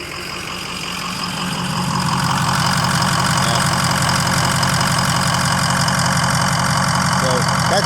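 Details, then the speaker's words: 2003 6.0 diesel on a cold start, fuel pressure gauge struggling to build pressure. After a hard start it idles with a slightly uneven pulsing beat about three per second; rough idle from low fuel supply pressure, with an ICP system problem also suspected. "But this is a problem, too. And we this could be the reason it's cranking along like that."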